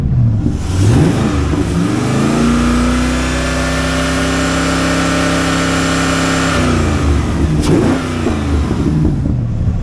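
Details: Fire-damaged 1999/2000 Chevrolet Corvette C5 5.7L LS1 V8, automatic, 2.73 axle, Borla mufflers, 141,973 miles: deep burble climbs smoothly to held rev and drops back cleanly, no knocks, misses or rattles; healthy.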